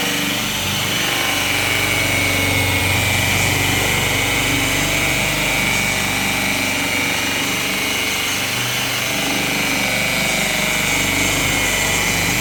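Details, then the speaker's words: Harbor Freight buffer with electronic speed control, ramping up slowly after the button press, then a steady, even high whirr with a light buzzy edge, running smoothly at speed. "It actually is an electronic speed control, and once I hit the button, it'll actually ramp up slowly. It doesn't just come up to speed quickly."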